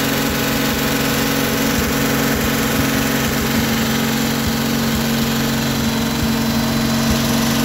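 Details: 1957 Chevrolet 210, revived after sitting since 1991, idling on a makeshift gravity-fed fuel hose into the carburetor. Steady, even low rumble with no knocks, stumbles or hunting. Normal idle.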